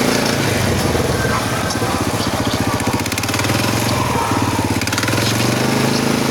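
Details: Motorcycle SF Moto 500 (SF X5) engine: rapid, uneven knocking around three to four per second over the running engine with harsh grating; internal engine knock, cause unclear.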